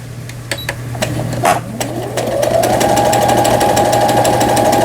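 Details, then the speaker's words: Repaired Brother CS100 computerized sewing machine (overseas direct purchase) test-sewing its functions after repair; motor whirs to a steady hum, then quick even needle ticks in regular rhythm — normal sewing operation. "각종 기능들 정상적으로 바느질이 돼서 나와요."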